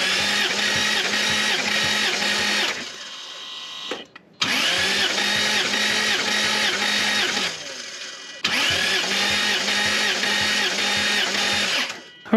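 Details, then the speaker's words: Lexus GS300 2JZ-GE inline-six with slight misfire and blue smoke, compression test cranking bursts with even rhythmic chug; first cylinder 150, all six consistent, rings judged fine. "all pretty consistent across all six cylinders so i'm pretty happy about that i don't think i've got problems with rings"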